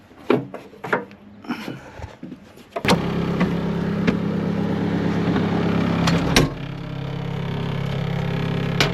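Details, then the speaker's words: Skid steer diesel idling after start, cab windows rattling badly with a buzzy, chattering vibration of loose cab glass in its frame; owner wedges plastic in to quiet them and seeks a fix. "You can hear the windows rattling in this thing. They rattle something wicked."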